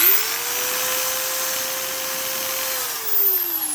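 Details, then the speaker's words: Hitachi D10VH 3/8" utility drill, 2500 rpm, 6 A, 4-screw gearbox, free running: smooth steady high whine holding one pitch, winding down on trigger release; noticeably quieter than the D10VH2, healthy. "it actually is quite a bit quieter."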